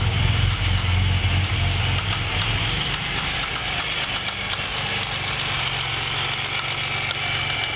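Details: 3.8 V6 at idle with 55 psi oil pressure, no misfires, no knock retard, no shavings in oil: steady deep knock about three to four a second, started as a loud tick; turned out to be a spun rod bearing.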